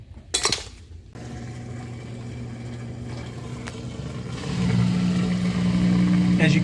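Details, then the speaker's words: Maytag washer that showed codes F09 E01 and F03 E01 (not draining), after clearing the clogged drain pipe. A steady low hum swells and holds with no rattle or strain: the drain pump runs freely and appears to drain properly. "you can hear, that did unclog it, and it appears to be draining properly."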